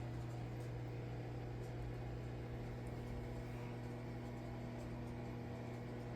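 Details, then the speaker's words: Small microwave running off the battery of a BLUETTI Elite 100 V2 (1,800 W, 1,024 Wh pure sine wave) after unplugging from the grid, drawing about 1,006 W: steady even hum and fan whoosh with no stutter. Operating normally. "Now it's pulling all that power straight from the battery. 1006. So a small microwave, no problem."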